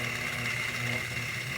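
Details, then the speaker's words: Lakewood 200i fan, in use since 2008 and heavily over-oiled, run with blades off before teardown: steady low hum with a thin whine; cabinet vibration hum, not the motor. "I'm not really worried about that sound that we were getting when we turned it back on without the blades on it because that wasn't really a motor hum. It was like a cabinet vibration."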